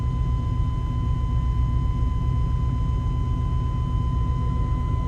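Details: Chevy 350 small block TBI started right after an oil change to check oil pressure comes up: low, even idle rumble with no knocking or ticking, a steady high whistle over it; idling normally.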